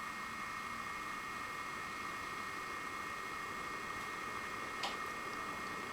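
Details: Bestron DCF52LSR ceiling fan, newly installed, running at its highest speed: steady airy rush with a smooth motor hum and no ticks, rubbing or wobble; the fan runs cleanly and normally.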